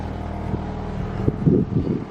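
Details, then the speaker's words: BMW 318i E46 Touring after a cooling-system pressure test, fixing a rough idle: steady, even idle with no misfire beat or stumble, much smoother than before; normal idle. "that's an idling now it's a lot smoother"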